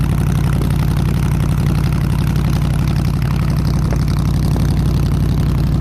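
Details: 302 V8 powering an air compressor, after the troublesome HEI distributor was swapped back to the old points distributor and the carburetor rebuilt: deep, even rumble with steady low firing pulses, no misses or knocks; idles smooth and healthy.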